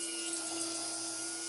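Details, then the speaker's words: GTR1400 motorcycle electric fuel pump on bench test, fully submerged: steady high-pitched whine with no surging or stutter; pump running and moving fuel normally. "Yeah, it's it's pumping."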